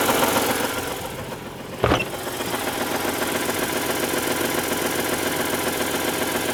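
Dull, irregular knocking roughly three to four times a second under a thin idle drone; a knock at idle, source not pinned down.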